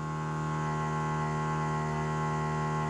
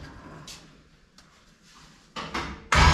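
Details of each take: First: 1955 Chevy small block project, first start after 10–12 years sitting: steady constant whir holding one pitch, a Holley Blue electric fuel pump running normally after 12 volts applied to relay. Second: 1955 Chevy small block V8, previously run but sitting roughly 10-12 years, first start attempt: cranking, then catches and roars about three seconds on lawnmower gas poured down the carburetor throat before dying back to cranking; has spark, lacks fuel supply (suspected).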